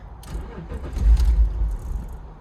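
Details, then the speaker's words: BMW E46, first start after 4 years sitting, just after fitting a new idle air control valve: starter cranking with a few low, uneven thumps that stumble and never settle, running worse than before; purge valve next suspect. "Huh. What? What? That's even worse than last time."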